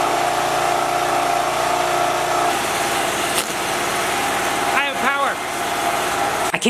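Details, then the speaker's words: Generator that sat unused for a couple of years or more, after rewiring mouse-chewed wiring: runs with a steady, even engine drone, constant hum, no misses, knocks or hunting; running smoothly. "begin to tell you how good that feels i didn't have a clue about this how it works or or anything but i dug in and tried my best and was patient and this went from sitting for a couple years or more"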